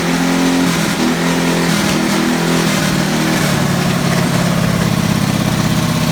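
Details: Single-cylinder race car first started in about 15 years (race stickers from 2005), in a garage: fires and revs up quickly, then settles into a steady rapid beat without stumbling. Runs healthy.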